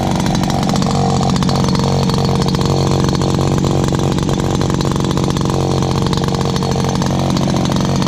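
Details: Dad's old backpack blower, about 39.7 cc two-stroke, choke only and no primer, first start of 2019. A loud, steady roar holds an even, fast beat with no misses or surging. Loud but runs really good.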